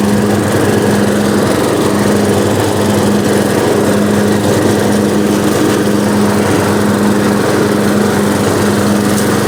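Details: Riding lawnmower that sat outside all winter on stale gas, battery kept indoors: started right up, even steady single-cylinder drone at constant speed with no misses, surging or knocking; running healthy.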